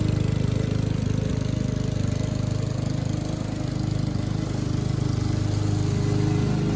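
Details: Curbside-rescued MTD mower cutting grass after an engine-speed increase and oil change, still with no air filter; steady, even single-cylinder beat of about 150 pulses a minute holds speed; owner suspects earlier smoke came from tipping and overfilled oil; normal running under load.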